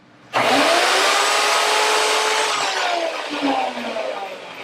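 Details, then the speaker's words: Router plugged into a universal tool speed control switch set to full: it switches on sharply into a loud, steady high-pitched motor whine and holds at full speed, running normally. "We have connected our router to the switch, and we have it on the position of full."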